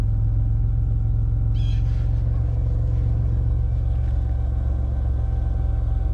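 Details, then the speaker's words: 2001 Chevy Impala idling during fuel sending unit replacement, fuel line opened with a full tank: deep, slightly uneven idle with a faint loping stumble from air in the fuel line. "we're kind of idling rough right now as we have air in the line and everything"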